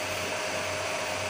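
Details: Home-built 15 A CT 55 power amplifier with cooling fans and an MCRD V2 driver: steady even airy whoosh with a faint constant hum, no rattles, ticks or bearing growl; the fans run normally.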